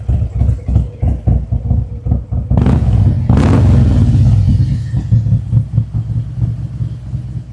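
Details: 2021 Harley-Davidson Road Glide 114 after a CR483 cam install with ThunderMax EFI, Trask header, S&S intake and 5.5 injectors; the mufflers took on a different tone. Starter crank, then it settles into an even, loping idle with a deep, thumping exhaust and no knocks.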